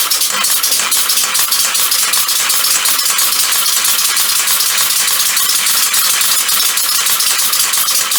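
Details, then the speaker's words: Homemade compressed-air motor mounted on a bicycle as a pedal assist, with a chain tensioner at the back. A constant high hiss with fast metallic chatter from the chain, which lacks enough tension to stay tight. "Not enough tension on it to make sure the chain stays tight."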